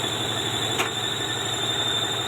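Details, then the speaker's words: Old-model John Deere 5103 tractor at diesel idle: a steady high-pitched squeal appears when the clutch is pressed and stops when it is released, indicating a worn clutch release bearing; gears also not engaging properly. "हम कौन सा clutch मैंने उसे दबाया, फिर वह आवाज़ आ रही है।"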